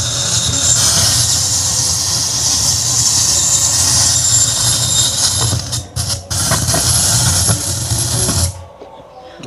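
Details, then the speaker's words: Yamaha PSR-S750 keyboard gives only a loud steady roar and hiss with no sound output, then cuts out; it failed mid-parade while run from a diesel generator, which the repairer blames on unstable voltage. "Ya, jadi dipakai karnaval kemarin, terus di tengah-tengah perjalanan itu rusak, suaranya nggak keluar, hanya muncul suara seperti itu."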